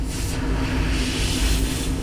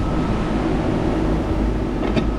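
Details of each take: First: AAON 18-ton packaged rooftop unit running, one of two circuits previously found flat of refrigerant, unit at 50% capacity: a loud, steady hiss rides over the constant hum as refrigerant escapes fast through a hole in a pipe bend, not a fitting. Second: AAON 18-ton rooftop unit, previously running at only 50% capacity, after a refrigerant leak (hole in a tube bend) was found: compressors and condenser fans run with a steady hum and even air rush, cooling normally.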